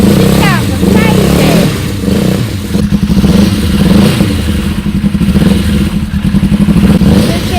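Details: Suzuki GSX 600 motorcycle project at its first run after a new switch was fitted. Ragged, lumpy blipping with uneven thumps as revs rise and fall, as if a cylinder isn't firing. It smoked a bit, which the owner suspects is WD-40 on the manifolds, whose bolts are loose.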